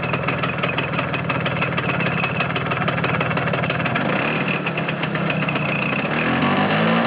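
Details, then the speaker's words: Vespa T5 idling with a fast, uneven ticking rattle over the low putter that stops when the clutch is pulled in and returns when it is released; source not identified. "Je débrais. Plus de bruit. Je rembrais. De nouveau le bruit."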